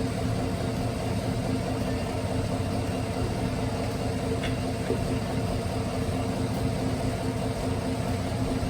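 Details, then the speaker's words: 2018 Chevrolet Silverado 1500 5.3L with 6L80E, first start after torque converter replacement: steady, even low rumble with no knocks, ticks or whine; healthy idle, check engine light on. "Sounds good. I don't hear any weird issues. That makes me quite happy."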